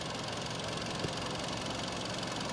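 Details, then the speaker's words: 2011 Hyundai Sonata VI with 2.0 L 16V G4KD engine, 88,722 km, compression 12.5 in all four cylinders, at idle: even, steady idle with a smooth hum and no misses, knocks or uneven beats; engine sounds healthy. "запуск двигателя работа двигателя на холостом ходу"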